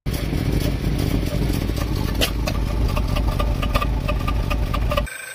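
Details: Skoda Octavia petrol engine idling unevenly with a strained, lumpy rumble and hissing, codes P0299, P0507, P2279, P0171; the oil cap is sucked onto the engine, showing a vacuum leak through a failed crankcase ventilation (PCV) valve.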